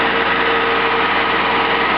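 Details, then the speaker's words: Worn gasifier-fed (woodgas) generator engine after hasty hopper repair, run at about 2200 rpm instead of the usual 3,000 for quieter, more economical running: even, steady low-speed beat with constant hum, no misses or knocks; normal running. "those of you with good ears will probably hear that the engine of running quite slowly normally these gener let us do 3,000 RPM I run mine at 2200 thereabouts it makes it a lot quieter"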